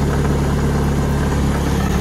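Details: Lada Priora petrol engine idling with a busy, uneven rattle and rumble from the front accessory drive; owner suspects a timing belt roller, tensioner roller or alternator.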